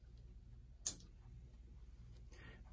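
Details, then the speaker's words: 1940s Ingraham mini mantle clock, electric movement with new power cord, test run after restoration and refitting in case: faint even ticking over a low steady hum, no rubbing or stalling; running smoothly and healthy. "and it's running so there you have it in Ingraham what I'm referring to as a mini mantle clock"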